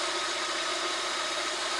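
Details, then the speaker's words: VAZ 2110/2112/Priora 124 16-valve engine, head rebuilt for a knock, at about 63°C: knock disappeared within a minute and idle now runs even and smooth with no tapping; original cause not found. "Так, в целом сейчас работает нормально."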